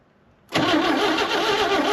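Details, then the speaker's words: 1960 Chevrolet Bel Air inline six, off the road 45 years, first start with timing possibly off: catches after a brief crank and runs steady and even, no knocking, under loose body rattles; engine sounds good. "It's not knocking. That's good signs. Yeah. Dude, this thing sounds great."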